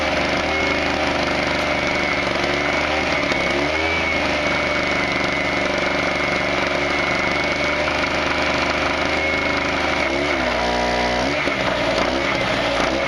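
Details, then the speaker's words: Harbor Freight 900 peak/700 running W generator, 63cc 2 HP air-cooled two-stroke, governor pinched open, loaded by a stick welder: buzzy drone sags in pitch twice as load hits, then claws back; can't keep up with the welder. "so as you could see in that demonstration unfortunately because this throttle up in order to match the amperage or wattage that it needs it can't run the welder because the initial shock is just not there"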